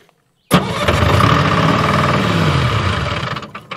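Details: Restart of Bantam C350 crawler crane's Detroit Diesel (believed 3-53) two-stroke after it ran out of fuel (fuel return not going back to tank): catches at once, steady even drone; clean restart.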